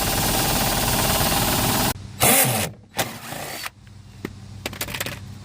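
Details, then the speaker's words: American Standard package AC unit blower: rapid rough knocking about four a second over the blower rush as it spins down; the blower wheel disc has rusted and separated from the wheel. "That sound you hear is the wheel. This disc right here is separated from the wheel part. Rusted."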